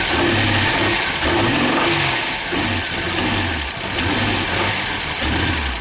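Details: Ford Sierra V6 cold start with bad fuel injectors: uneven, lumpy running with irregular beat and rev wobble instead of a smooth idle; engine stumbles.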